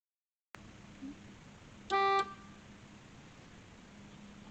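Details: PT Cruiser whose horn barely worked, fitted with an aftermarket horn wired in; one short, loud, clear blast with steady bright tone, no rasp or weakness, horn sounding properly.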